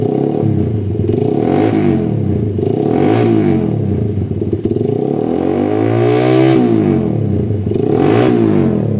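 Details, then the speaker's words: Suzuki Satria FU after service, still on stock vacuum carburetor: throttle blips rise and fall cleanly without the earlier hesitation or stumbling; idle steady, more powerful. "Terus kalau digiring dia jeda-jeda, sekarang sudah sembuh."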